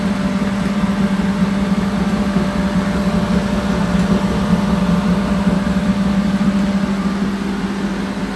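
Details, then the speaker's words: Newly unboxed Lincoln Prestige on its first test run: the pump gives an even, steady low hum with a faint higher whine and no bearing noise, rattle or growl; running clean and healthy. "C'est bien le bruit. Mais même la pompe, moi, j'ai jamais entendu exactement comme ça."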